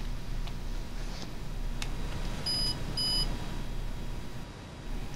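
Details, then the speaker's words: PDX-R parallel print data recorder powering up: two short high beeps about half a second apart over faint room hum, confirming proper operation. Normal power-up beeps. "when powering down the recorder it should beep that helps confirm proper operation when powering up it should"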